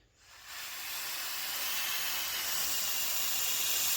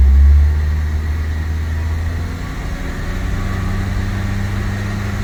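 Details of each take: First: Mitsubishi Evo 5 GSR wastegate actuator, hand-pressurised: steady high airy hiss from rust-damaged leaking diaphragm, bleeding off pressure so the wastegate opens late; fixed by modifying an Evo 9 actuator to fit. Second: Evo 5 GSR, after replacing a seized ABS sensor, checked on a ramp with the ABS light going off. Steady, deep, even engine drone with no knocks or misses, just wheel hum under it; runs cleanly.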